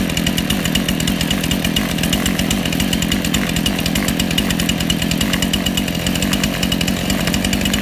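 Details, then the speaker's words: Small two-stroke chainsaw, strimmer or hedge-trimmer carburetor: fast steady buzz, speed shifting as the low-speed mixture screw goes from too lean to too rich and is then set in the middle. "you'll be able to hear it run from two lean to two rich and you'll see me set it in the middle too"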